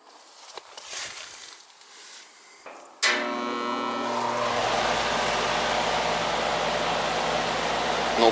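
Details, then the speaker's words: Carrier condenser unit: contactor clicks, only fan hums, compressor doesn't start; capacitor suspected; hard start kit later got it running but scroll compressor still noisy, judged junk; compressor fails to start. "compressor didn't start so probably a Capac flipping leaks in this"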